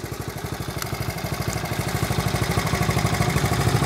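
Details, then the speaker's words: 1970 Honda Trail 70, just kick-started, on stabilized fuel: quick regular exhaust pulses at steady idle, even, no knocks or misses; idles nicely. "that sound brings back memories no issues just a fun little ride"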